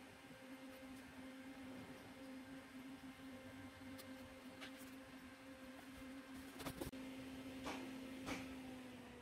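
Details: Stock CPU cooler fan on an open bench under a Cinebench R23 multicore load, CPU around 84–90°C: a steady whirring drone and low hum with no rattle, at full speed. It sounds normal.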